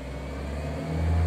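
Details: Warm engine (about 2 minutes running), after cleaning the ISC idle speed control valve that made rpm fall slowly after revving: smooth even note climbing cleanly when revved and returning promptly, no hunting or hesitation.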